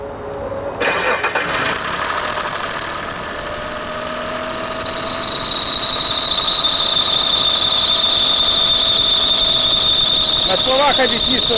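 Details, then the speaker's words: Mitsubishi Galant 8 6A13 V6, over 20 years old, just reassembled after hydraulic lifter replacement: on startup a loud piercing squeal drops in pitch into a steady shriek; alternator belt damaged during startup, squealing intermittently. "а вот все бы ничего только запуске испортил нам ремень генератора которые время от времени посвистывает"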